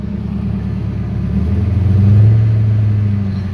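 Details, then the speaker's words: Car with BBK mid pipe, MBRP cat-back mufflers and tips, shorty headers, exhaust refitted by owner after shop left mid pipe touching ground, engine cold: deep even idle burble swelling on a light blip, no rattles or leak ticking; sounds healthy. "but it doesn't sound too bad in my opinion it sounds pretty good"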